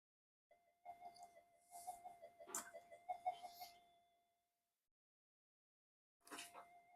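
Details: Old Minelab GP Extreme metal detector on the bench, intermittent no-audio fault; thin tone with quick uneven ticks coming and going, the "alien" sound with no detection depth, altered by touching boards or a screwdriver near the coil; cause not found.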